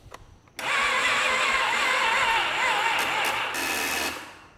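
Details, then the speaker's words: 2007 Polaris Sportsman ATV with a moldy air filter that was possibly once submerged: the starter whirs about 3.5 s with a wavering pitch and cranks very slowly without catching, the same as on a jump box the day before; the starter was reportedly new, and it is being checked next. "That's what it did yesterday when I put my jump box on it. Just turn over real slow."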